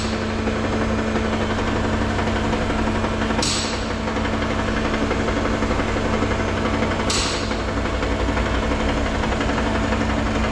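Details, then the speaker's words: 2018 Toyota Camry, 2AR-FE, automatic, engine lifted, AC on; steady idle with a light, uneven knock from between engine and transmission, which stops under load; flexplate cracked completely around the bolts, not connecting rods. "with this kind of noise, when revolution you'll hear no sound that means there's a possibity that the noise is coming from flywheel"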